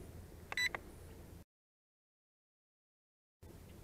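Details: Bayangtoys X16 brushless quadcopter camera: pressing the photo button gives a short, clean electronic beep as the photo is taken, then quiet. Normal confirmation.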